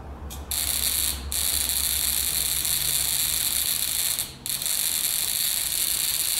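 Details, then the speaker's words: Buzz coil with ammeter in series, points being adjusted: high, steady vibrator buzz with brief dropouts; too little tension, barely producing a spark. Leaf tension is then increased. "you can see that that's barely just those three taps now it's barely producing a spark"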